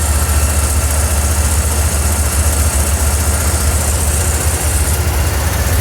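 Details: 1981 Ford 300 inline six at idle: heavy, loud idle with deep drone, smooth at first, then an uneven, lumpy beat; engine misfire at idle.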